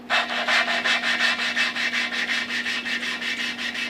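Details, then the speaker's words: Dodge Cummins cylinder head, valve being hand-lapped into a questionable seat with grinding compound; gritty, bright, even rubbing at nearly three strokes a second, quieter as compound wears, cutting again when lifted for fresh compound; valve lapping. "we've got some valve grinding compound on this valve you can hear it gets it gets quieter and if I lift up on it it kind of pulls fresh compound underneath and it cuts"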